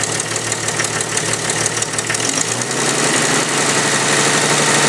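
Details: Jeep Cherokee 4.0L stroker with OBX header, heard at idle through a tube at the back of the engine: quick steady ticking about three per second, rising with revs; the cheap supplied header gasket had blown apart, an exhaust leak fixed with a Felpro gasket.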